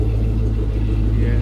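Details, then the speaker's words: 2014 Ford Mustang, about 17,000 miles, after Paxton 2200 supercharger install, idling during remote tuning: deep lumpy idle pulsing unevenly with slight sputter; rough idle because the tune is unfinished, more revisions planned. "yeah I still got a little bit of a mess at idle"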